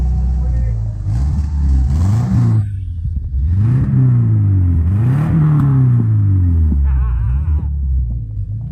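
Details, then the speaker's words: Subaru after junkyard transmission install, muffler not hooked up, exhaust through resonator only, while driving: revs rise and fall smoothly with deep mild drone; sounds near normal. "I'll tell you what it's actually pretty goddamn quiet for not having the muffler hooked up just a resonator it sounds normal"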